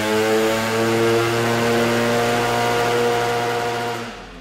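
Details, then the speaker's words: Vespa PX two-stroke with a 165 main jet fitted, deliberately oversized (later changed to a 145). Flat-out steady droning blare that won't climb, a blubbery 'pffffr': the main jet is far too rich and the engine can't breathe or rev. "The engine won't rev and makes a "pffffffr" noise. It cannot breathe, it will not rev, so this main jet is way too big."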